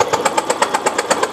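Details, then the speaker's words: Fuel-injected motorcycle brought in dead: starter turns engine evenly at about eight pulses a second with no firing; faint spark, mechanic shocked by leaking plug cap, cap to be replaced; weak-spark no-start. "Astagfirullah ngetrum pisan eh mas bro nyetrum pisan mas bro ini itu itu noh keluar kan memang samar itu loh"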